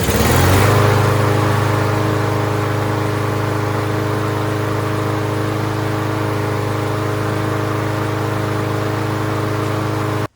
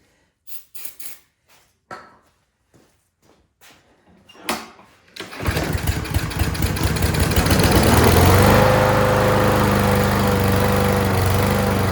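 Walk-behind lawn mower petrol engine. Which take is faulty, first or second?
second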